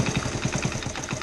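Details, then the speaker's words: 1972 Honda CT70H, sitting 15+ years, cold start: quick uneven puffing about ten beats a second over a weak idle; pressure leaking at head and cylinder joint, bolts missing and castle nuts pushed through with no washers. "Yeah, there's pressure coming out of here. So come to find out, missing bolts, like I said, nothing's holding the head to the block, nothing's holding, or the cylinder to the block, the head to the cylinder."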